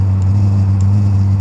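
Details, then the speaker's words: Eberspacher Airtronic D4R (AM2 new-generation) diesel heater starting after priming, fan running, air inlet not yet connected; low steady drone with soft pump tick about every 0.6 s as the burner lights, fading as fuel builds, normal start-up combustion rumble. "so right away that the pump started working, the unit is starting to burn. Yeah, this sound will go away after there's enough fuel in the burning chamber."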